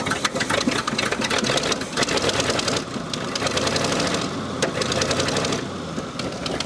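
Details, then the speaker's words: 1974 Ford F-100 4x4 big block, sat for decades and once submerged: ragged, ticking idle whose beat keeps dipping and stumbling, barely holding idle; cause not yet found. "I know you can idle don't act like you can't"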